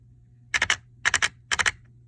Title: Traxxas 4-Tec 2.0 VXL grinding noise